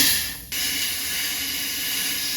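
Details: 6.0 Powerstroke with rebuilt engine under high-pressure oil system air test, engine off: steady sharp hiss of air leaking past the HPOP discharge fitting, whose bolts had yielded; an O-ring inside was also suspected.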